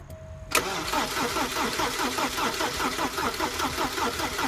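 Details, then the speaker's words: 1988 Porsche 944 after the starter cable was connected: the starter spins the engine at a steady, even cranking beat but it never catches. The no-start was later fixed by swapping the speed and reference sensor plugs. "It's alright, it's still not starting."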